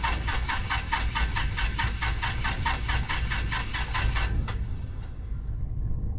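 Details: 1974 Piper PA28-151 Warrior aircraft engine: starter churns at about four even beats a second with no firing at all, then stops; turns over without ignition, will not start due to a bad magneto.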